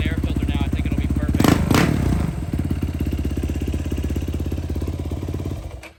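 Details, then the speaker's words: Yamaha YFZ 450 after carb rejetting: starts easily, fast single-cylinder beat with heavy thumps, still popping and spitting; likely running lean, possible exhaust leak letting air in. "it started right up real easy still popping and spitting might have an exhaust leak somewhere letting air in but definitely a lot better from where we started"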